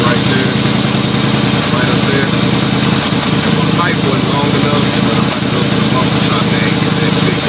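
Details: 1989 Chevy Caprice V8 after the thermostat was replaced and the exhaust leak fixed: a steady, even idle with a constant low rumble and no ticking or puffing at the manifolds. It runs smooth and healthy.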